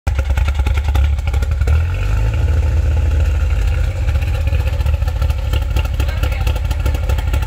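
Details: Mitsubishi Eclipse/Talon/Laser 4G63-family car that sounds like it has cams: deep, heavy idle with a choppy, lumpy lope and uneven firing beat; cause not identified.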